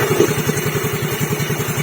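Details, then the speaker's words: Yamaha Fino CVT scooter after fixing a worn crankshaft journal without engine teardown: even, steady single-cylinder idle with no knocks or rattles, meaning the press fit on the crankshaft is good. "normal, there's no noise, it means the pressure is good"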